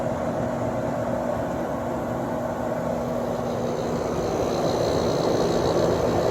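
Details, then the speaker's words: Sharp 10,500 BTU window air conditioner, cleaned, Samsung fan motor with freshly oiled bearings, starting up: compressor kicks on right away and settles into a steady even low hum under fan rush; normal compressor startup. "go ahead and start her up it has a Samsung fan motor by the way [Music] compressor started right away"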